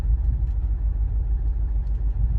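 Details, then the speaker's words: Opel Zafira B 1.9 diesel that won't pull below 2000 rpm, no stored faults, reverse then drive engaged: deep uneven rumble that sags and surges as if starving for fuel, stalling under load. "наче як у неї палива закінчується і от вона або давайте передню передачу першу драйв і вона наче як е вона під горку не може їхати і вона глохне"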